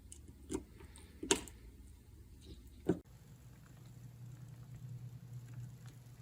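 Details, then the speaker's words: NWSL Stanton O scale drive on test chassis after motor break-in, bushing deburring and axle adjustment, at lower voltage and amperage: a few handling taps, then a low, even hum with no clicks; running much slower and quieter than before. "Much slower and much quieter. lower voltage I think lower amperage too."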